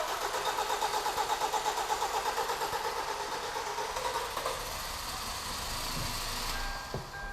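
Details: 2011 Kia Cerato G4KD, 211k mileage, first start after engine rebuild for scoring and knock (cold and hot, on throttle changes), flushing oil in: brisk regular cranking, fires and settles into an even, quiet idle, no knocking; normal start and idle.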